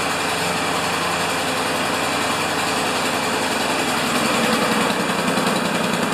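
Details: Honda GCV engine on a Craftsman MTD mower during a tune-up, E3 spark plug found carbon-crusted, semi-automatic choke: catches at once and holds a steady, even run with no misfires or surging; sounds healthy.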